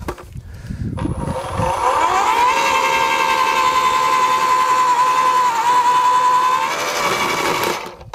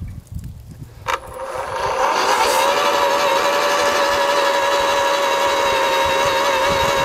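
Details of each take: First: AEG (Ridgid) 2×18V post hole borer with double-spiral auger, blades just cleared of matted grass: motor spins up to a steady, even whine without bogging; the auger cuts freely and runs normally. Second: AEG (Ridgid) 2x18V battery post hole borer/earth auger digging: steady high motor whine with no bite or cutting rhythm, just a dull scrape; grass matted around the blade teeth stops it cutting.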